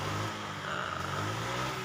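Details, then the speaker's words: Fuel-injected automatic scooter after replacing damaged fuel pump O-ring that leaked petrol from the tank: short, smooth moderate rev with even hum, no misses or stumbles; no more fuel leak. "kita blayar-bayar sedikit jangan terlalu apa namanya jangan terlalu e ngegas lah ngeber ngegeber secukupnya"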